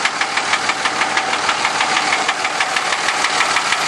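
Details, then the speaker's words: 2003 Dodge Ram Cummins 5.9 diesel: loud sharp metallic knock about three per second over diesel clatter; flex plate and transmission ruled out, compression test pending. "2003 Dodge 5.9 comings making a loud knocking noise I'm going to take it in tomorrow"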